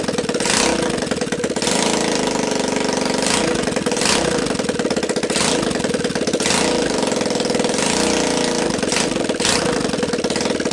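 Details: Linhai Talon 300 4x4 ATV engine (auction buy, had appeared seized), bench-tested on first start with a PZ27 carb taped onto the intake and a 12 VDC CDI: steady, crisp single-cylinder running with regular revving bursts about every second, no knocks, rattles or smoke; normal running.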